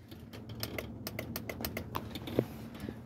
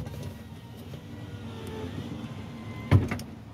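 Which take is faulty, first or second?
first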